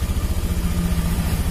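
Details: Honda Beat FI scooter, after the battery fault behind its unstable idle and weak fuel pump pressure was dealt with; charging reads 14 V; steady, even low putter at idle with no misses or knocks, healthy.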